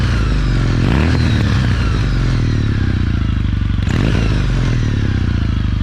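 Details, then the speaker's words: Kawasaki W800 with a full aftermarket Remus exhaust system, baffles in, at idle: a deep, steady, even twin idle with light bevel-drive gear whine above it; sounds healthy and normal. "They sound really pretty good. This has the baffles in, surprisingly, but still sounds great, actually."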